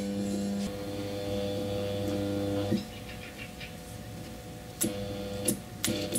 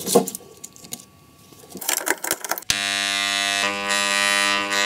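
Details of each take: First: Angle grinder armature tested with a series test lamp (200 W bulb), stator wires disconnected from brushes: bad sound, flickering light, hum cutting out on several commutator segments as rotor turns; interturn short, rotor needs replacing or rewinding. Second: Angle grinder run directly from the mains after its good armature was refitted and the brushes secured: after some clicks, a steady, even buzzing hum with no wavering or rough spots, normal healthy armature.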